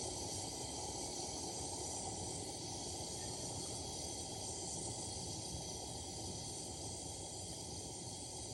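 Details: Vintage Coleman lantern being repaired/restored (1952 252 or 1950 242C), gas leak fixed, fitted with a junky size 21 mantle (owner thinks an 11 was needed); steady coarse roaring hiss with faint flutter, still fireballing: lantern flaring, cause suspected.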